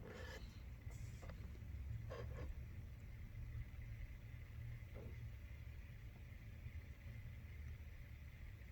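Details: Newly built tumbler station, the motors freshly wired with switches and powered through an extension cord on first switch-on. Low steady hum with no knocking or scraping, motors turning evenly: normal running.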